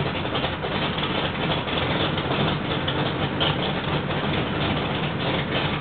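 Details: Rebuilt L88 427 Chevy big-block, hydraulic roller cam, 9.6:1 aluminum heads for 91-octane pump gas, timing set at 36°: deep, even rumble holding steady, no knocks, ticks or misses; running clean, sounds like an original L88.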